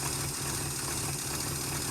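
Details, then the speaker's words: 440 V8 in 1971 Chrysler Newport eight-door airport car, run with no coolant after cracked block patched with JB Weld: steady smooth low-rumble idle, no knocks, misses or ticks, not leaking; normal idle. "wow that went much better than expected is it leaking no but there's no water in it"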